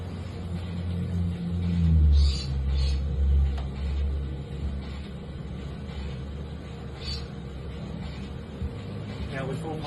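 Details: Broken dryer, bought and repaired, running a 30-minute timed dry to test the heating element: a deep, steady drum rumble with soft, even tumbling thumps and no scrape or squeal. It runs smoothly.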